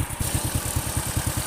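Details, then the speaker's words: Honda Supra X 100 (C-series) after replacing the worn rear cam chain tensioner roller that caused a knocking from the right-side case at idle: quick, even single-cylinder idle thump with steady spacing and no rattle; now smooth after a road test. "sudah halus sudah saya bawa muter-muter tidak seperti kemarin kasar"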